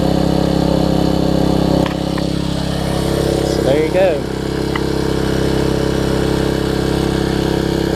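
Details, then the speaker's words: Troy-Bilt Tuffy rear-tine tiller, 4 hp Briggs single, after fitting replacement carburetor with linkage and spacer, quarter tank of gas: steady, even constant pace, no misses or surging; normal running after repair. "just put a little spacer on it it's working good so the first thing we'll start if it starts I'll be very happy as you can hear that's better"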